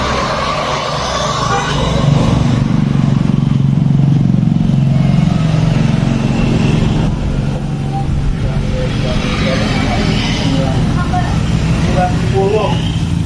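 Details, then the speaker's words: Honda Revo Fit fuel-injected motorcycle after the lower oil filter screen was cleaned and oil refilled, idling. It gives a steady low hum with no knocking; the right-side clutch-area tok heard before the repair is gone. "Mari kita buktikan nanti kita lihat nih suaranya masih ada apa enggak yang seharusnya secara teori ini suaranya udah hilang"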